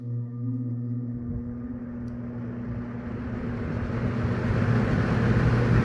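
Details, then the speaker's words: Eskimo box fan model 201083, once terribly out of balance from out-of-clock blades and a wobbly hub, was balanced off camera. It now spins up with a steady low hum and even airflow, no wobble, thump or rattle; running smoothly. "It's ter It was terribly out of balance earlier, but off camera I balanced it."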